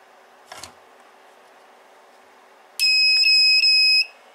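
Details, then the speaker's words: A 2000 W power inverter on a 12 V power supply, after its broken negative input pin was glued, gives a faint click then a single high beep of just over a second at switch-on. The fan starts and the inverter powers up normally. "it simply turns on and the fan starts working and looks like the inverter is working fine."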